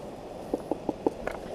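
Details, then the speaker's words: Off-road bike, rear wheel spun by hand in neutral with the bike held up: sharp regular ticks about five or six per second. A rock inside the sprocket cover was rubbing the chain and sheared off its top layer of metal. "A rock had got inside the sprocket cover and that was causing the rubbing. And it also sheared off the top layer of metal on his chain."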